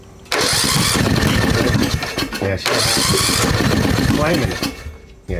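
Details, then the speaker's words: 2003 Snapper rider mower during electrical diagnosis and repair, brought off idle: ragged cranking with brief uneven firing bursts that die away. It kicks but won't start, then flames back; reversion is suspected and the valves are to be checked. "all right and just see if it kicks keep trying to kick yeah she's trying to kick"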